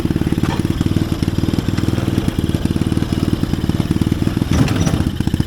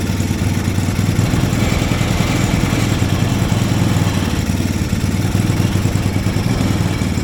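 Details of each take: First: Chinese-engined mini Jeep after replacement carburetor fitted: quick, even firing pulses at steady idle with no misses or surging; carburetor problem fixed, runs right. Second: Mini Willys-style Jeep with small Chinese engine and new spark plug: chugs unevenly and stays running only on a little throttle; idle too low, carburetor not supplying enough fuel to idle.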